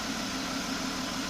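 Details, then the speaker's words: 1995 Jaguar X300 4.0-litre six-cylinder after final re-tensioning of the accessory (alternator) belt that squealed when cold: steady, even idle hum with no squeal or chirp; fixed, cold-start check still pending. "donc là on a plus du tout de couinement donc c'est sympa et favorable"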